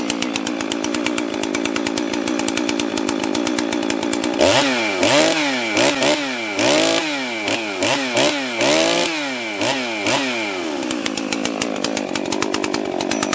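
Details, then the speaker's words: Husqvarna 261 62cc chainsaw, stock, after carb rebuild plus new fuel filter and fuel line, piston and cylinder checked, spark confirmed, after sitting about 10 years; steady high idle and crisp clean blips to full throttle, running strong. "Went through and just double checked the piston jug, everything internally on it, made sure that it had spark, changed the fuel filter, fuel line, and from sitting in somebody's truck for the last 10 years or something, it's running phenomenal in its stock configuration."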